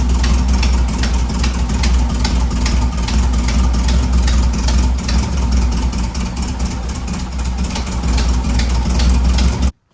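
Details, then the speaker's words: 1958 Karmann Ghia with a rebuilt air-cooled VW flat-four, idling after the valve rocker clearances were adjusted because the valves had been held open. Deep, steady chuff with an even beat and no ticking or knocking: clean idle. "So, that's how it was just um setting the rockers, the adjustments on the valves, and it turned right on."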